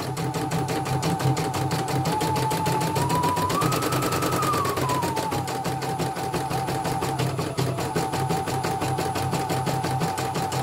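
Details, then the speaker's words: CNY E900 embroidery machine, in for heavy turning and hissing, after replacing the motor (dynamo) and testing the sensor: quick even stitching clatter over soft motor hum, no skips; runs properly. "Coba kita mundurkan kembali. bagus, nggak ada loncatannya."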